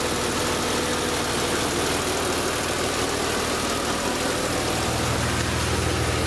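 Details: BMW E36 M3 with S50B32 engine, VANOS suspected: idle runs with an uneven, busy rattle over the engine note; something is off at idle, cause not confirmed.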